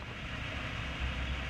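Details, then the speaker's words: Vehicle just fitted with a junkyard axle-back exhaust muffler. Low, soft, even exhaust note at idle with no rasp, drone or leak puffs: barely audible, a quiet and healthy normal idle. "That was excellent. You can barely hear it running."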